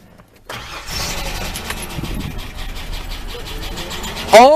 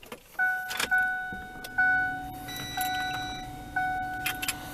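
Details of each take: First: Project Ford Explorer after its 23½-year-old starter motor was replaced with a new one: a steady starter churn for several seconds with no firing, then it stops. The engine cranks but won't catch. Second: Ford Explorer just after a new starter solenoid was fitted, where before there was one click and nothing: several clicks and short beeps, then the starter turns briefly and the engine fires and settles into an even idle. It starts normally.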